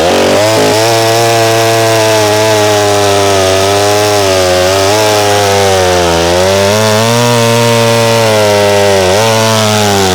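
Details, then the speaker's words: McCulloch SP-125 chainsaw jetted two sizes down to .028, cutting: high thin scream, pitch climbing and wavering, no four-stroking; possibly a tad lean on the smaller jet, owner wonders about vapor lock when warm; plans .029. "We could hear it leaning out on the cut, too. So, I don't know if it was getting warm and vapor locking."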